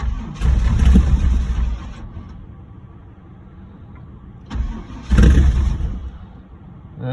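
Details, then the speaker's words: Camaro cold start attempt after sitting about 6 months, on jumper cables after the battery was cranked dead: two bursts of starter cranking about a second and a half each, no catch; cranks but won't fire. "I cranked it till the battery died didn't want to fire so I got it hooked up to the dumper cable let's see if it'll cold start now after sitting for [ __ ] 6 months"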